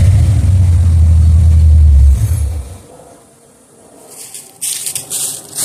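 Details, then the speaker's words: 1976 Olds 455 big block with TH400 in an 84 Chevy Suburban/Blazer build, sat 155 days. Deep heavy rumble under throttle suddenly cuts out when revved; engine dies, owner suspects the fuel pump quit. "that was disappointing the fuel pump quit working soon as I gave it some gas it just went all right"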